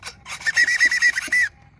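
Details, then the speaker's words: Steering servo of a Traxxas Nitro Slash neglected about a year to a year and a half: short rough, scratchy gear-whirring buzzes about every quarter second as it sweeps; sounds terrible, loud but seems strong. "That sounds terrible. This one's pretty loud too, but seems strong."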